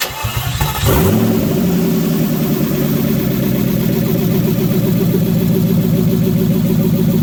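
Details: Mercedes M119 V8 first cold start after the engine install, bare exhaust manifolds with no exhaust fitted: the starter churns under a second, then the engine catches and settles into a loud, steady, deep run; normal cold start.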